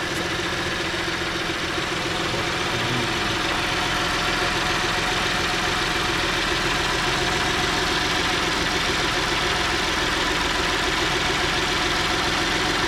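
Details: 2010 Ford Edge 3.5L V6 first start after valve cover gasket replacement: smooth steady idle, even beat, no ticking, tapping or rattles; no weird noises, sounds good.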